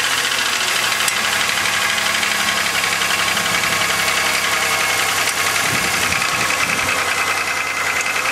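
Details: 2000 Chevrolet Malibu 3.1 V6 (3100), 145,000 km (90,098 miles), gasket already replaced, thicker oil tried; warm idle with a persistent hollow knock under a busy top end; owner suspects piston slap, not confirmed.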